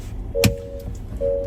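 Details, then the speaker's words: Ineos Grenadier in neutral with brake on, shifting high/low range and center diff lock via manual lever: two mid-pitched chimes with sharp click between, normal diff-lock engagement sounds. "Uh the binging and bong bonging that you'll hear when you're changing is perfectly normal. Uh once you get out of neutral, it will go away. It has to lock all the diffs up. So that's why you hear the the different clicking"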